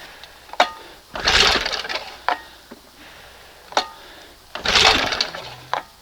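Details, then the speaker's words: 1971 20 hp Johnson outboard, pull-start after priming and choking: cord whirs with a few sharp isolated pops but never catches, and it won't run with the choke closed despite plenty of fuel; hard starting, fires but won't run. "You know, three, four pulls to prime it up, choke it up. You hear it trying to pop."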